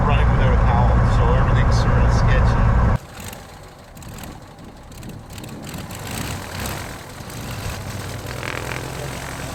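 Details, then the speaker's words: 1961 Cessna 172B after a six-month restoration, high-power run-up in sub-zero cold air with the cowl off: a loud, even, deep throb holds, then drops back; sounds good, slightly late response blamed on the cold. "but it sure sounds good it did seem a little nicer it did like a little bit later but that's the cold cold air it's kind of hard on it"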